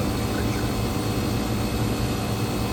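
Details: Electro Freeze ice cream machine condensing unit, head pressure leveled near 175 psi and coming down as the cabinet load drops, after a CAN RFG error and an overcharge: steady low hum and airy fan rush, no knocks or surging. Healthy operation.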